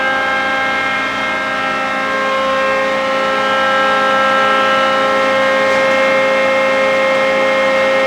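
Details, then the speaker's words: John Deere green F12-090 hydraulic motor returned for a customer-reported squeal, freewheeling with no load at about 2,300 rpm for 20-30 seconds: steady even hum, no squeal building; normal, so the problem likely lies elsewhere in the customer's system. "That's That's like 2300 RPM. And last time we went up to 2300 RPM. Oh, the same. We don't hear the noise."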